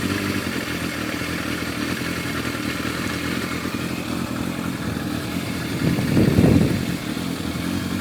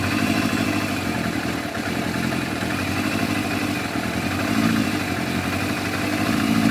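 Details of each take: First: Warm four-cylinder Yamaha FZR1000 with rebuilt carburetors idling smoothly and evenly, one brief blip; Digi Sync shows all carbs at 58–60, within much of a muchness, so carbs are balanced. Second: Yamaha FZR1000 four-cylinder with rebuilt carburetors, just started before synchronising, tickover raised slightly: lumpy, uneven beat; carbs out of balance.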